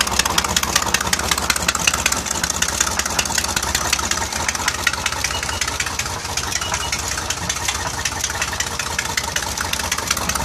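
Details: Mercruiser 4.3L Alpha marine V6 idling with a fast, sharp ticking over a steady low rumble; owner suspects rod knock or a bad exhaust gasket, unconfirmed.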